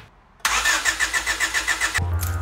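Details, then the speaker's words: Honda Civic EK with swapped D16A that won't run, after spraying oil into each cylinder to lube the rings: starter turns the engine in quick even pulses for about 1.5 seconds but it never catches; cranks, no start. "Test number one, just the sprayed oil in each cylinder to lube up the rings. Hopefully that does something. Just gonna crank it, see if it does anything, and we'll move on."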